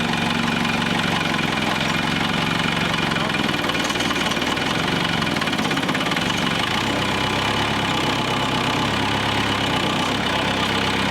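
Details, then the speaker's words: Military-grade forklift just after first start following refit of rebuilt hydraulic tilt cylinders, hydraulic fluid likely low: steady, even diesel-type running with constant low rumble, no misses or knock; normal idle. "But no big deal. I'm actually really happy. It started right up."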